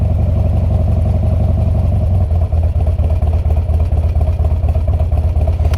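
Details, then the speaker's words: Harley-Davidson Twin Cam Dyna Glide (FXD), 39,000 miles, fully cold after CV carb rebuild and intake reseal, about one-third choke: steady, even low V-twin thump idling slightly high, no knocks or misses; normal cold idle. "That's probably about a third choke. I probably could knock it all the way in. I'm gonna let it sit here and idle a little bit high for just a second"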